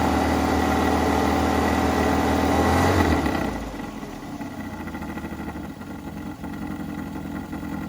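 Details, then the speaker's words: 1983 Mazda B2000 petrol carbureted engine, start after revival with fuel line reconnected to carburetor, no air cleaner: fast steady choke idle drops sharply after three seconds as choke pulls off, settling to even lower idle; normal cold idle. "notice how it's chugging that's that choke pull off"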